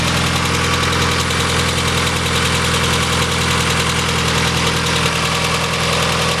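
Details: Mazda Miata idling with a light, uneven tapping over the engine note throughout; suspected rod knock, likely bottom end, not confirmed; owner suggests checking oil.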